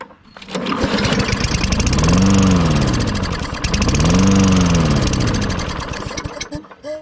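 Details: Discarded Toro Recycler GTS 6.5 hp mower after a jet clean and gum cutter spray: it catches on a pull, surges twice, then dies after about six seconds. The carburetor jet and likely the emulsion tube are still clogged.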